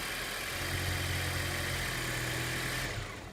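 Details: TFSI engine after the relay replacement fix: smooth, even idle with steady low drone, no stumble or misfire, then clean shut-off; running normally.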